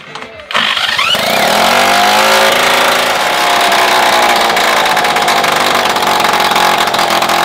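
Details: Solex 3800 moped with an all-original engine, first start after restoration with fuel flow confirmed at the pump and jet and the air-filter bell not yet fitted: it catches after a brief cough, then runs a steady, buzzy, even two-stroke beat with no knocking. The cylinder still needs running in.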